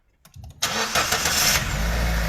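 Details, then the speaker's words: After repair of oil burning and piston knock (broken, gapped piston rings replaced with special improved rings, no cylinder overhaul, after failed no-disassembly treatment), engine reassembled: brief crank, clean catch, steady idle, knock gone; normal start and idle. "发动机完美启动，一起来听一下声音。发动机敲缸异响的声音已经没有了，烧机油的问题我们也给车主大哥解决了。"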